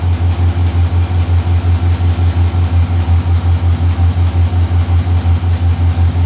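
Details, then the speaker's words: 6.0L LS-swapped S10 V8 at idle: deep idle with a strong lumpy pulse about three times a second and a steady shake; short-term fuel trims rising, both banks even; fuel starvation as rust from the gas tank clogged the fuel system. "all right they're going up again still yeah they're steadily both of them are pretty even now though she is shaking a bit though"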